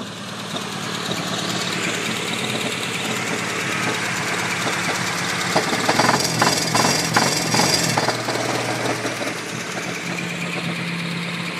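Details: 1994 Honda Accord EX idling after new wires, plugs, rotor and cap: uneven rough idle with dull irregular knock about three a second, louder midway.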